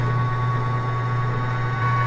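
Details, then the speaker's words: Camp Chef pellet grill in feed mode, after replacing stuck auger motor: steady low electric hum with faint whine, unbroken; new auger motor turning normally, old one did not move. "see and if you can tell [Laughter] the auger is moving which it was not moving with the old one"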